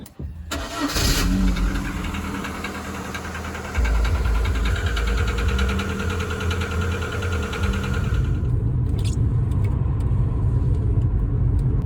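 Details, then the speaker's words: MG ZR barely used since November 2022, cold start: engine catches, then a fast light tick around four per second over the idle; tappet noise, owner suspects hydraulic lifters, not confirmed. "So I'm hoping some of this stuff is as a result of things settling down, but I'm about to start it up and see if once we're on the road this tapping sound, which you'll hear in a second, improves."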